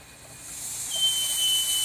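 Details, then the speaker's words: Boost leak tester on a lipless turbine inlet: high thin hiss builds and holds as pressurized air escapes past the leaky coupler, which has no lip for the clamp to grab; hairspray planned to seal it. "yeah I got a leaky coupler as you see there there's no lip that's not cool"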